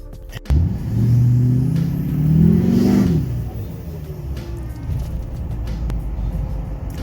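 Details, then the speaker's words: Duramax LBZ diesel after turbo vane position solenoid replacement, starts and revs up smoothly with a rising then falling whir, back to even idle; vane position and boost good, running normally. "Seems to be running pretty good. Vane positioning sensor is still where it should be, so it's getting pretty good boost."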